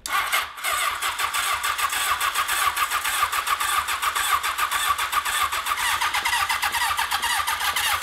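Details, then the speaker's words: 1982 Honda CB750 750cc motorcycle engine on choke, bought cheap for a cross kart: fast, even starter cranking for eight seconds with no firing; no start, carburetors found varnished and gummed up. "oh god the varnish is coming right out of the little drain spots these carburetors are jacked"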